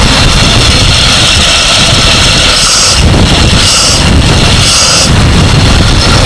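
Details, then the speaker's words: 1947 Dodge, warm after carburettor work, previously reluctant to start even warm; cold start still to be tested: steady even warm idle with smooth rumble and strong hiss, no misses or stumbles; normal idle. "it may just be a false storm the fact that it's running okay when it's warm"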